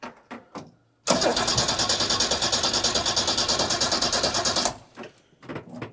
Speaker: Oh, that's better than it's ever done before. We might need to adjust the mixture.